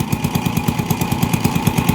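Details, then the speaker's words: TMX 155 motorcycle with hard starting and misfire, worse uphill; owner replaced the CDI without effect, and the real problem is the spark plug. Choppy exhaust with uneven popping beats about eight a second, no pull; ignition misfire. "So number one na problem niya yyung spark plug talaga guys. Tx 155. So walang arangkada walang birit. So pagbitan siya pumapalya."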